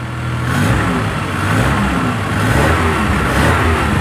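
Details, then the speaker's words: Car whose starter previously made a loud cracking noise: now the engine starts and revs smoothly with no grinding or clatter, starter silent. "eu tava estralando tudo só que agora já era 10 rapaziada é isso aí ó não faz barulho nenhum mas"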